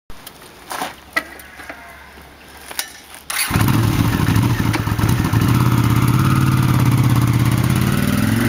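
After a few clicks the twin catches and idles with an uneven, stumbling beat that never settles into a smooth rhythm, so it is running rough.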